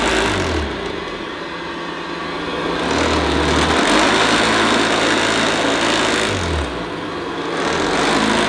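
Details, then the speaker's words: 1975 Hoover U4034 Ranger Senior vacuum at first power-on: a harsh, fast rattle over the motor drone swells and fades in waves; owner suspects the agitator brush roll. "yes I suppose it does sort of work but that sounds absolutely appalling I think though a lot of that rattling could be the agitator"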